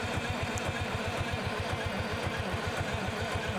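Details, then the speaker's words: Euclid S7 scraper diesel with unit injectors, 12 V, after sitting, in neutral: steady, even cranking at about four beats per second with no firing and no sign of fuel; suspected fuel starvation or a stuck governor, bleeding from the transfer pump planned. "No signs of fuel yet. Are you sure that the governor is free? Cuz if it's stuck in the shutdown position, it won't do anything."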